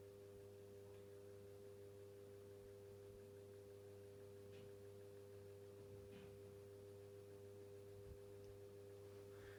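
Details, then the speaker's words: 1990s Pifco 12-inch desk fan just switched on: quiet, even hum with a soft steady tone, no rattle or scrape, giving a light breeze. Normal running. "so yeah so listen to that nice and quiet he's actually giv out a little bit of a breeze"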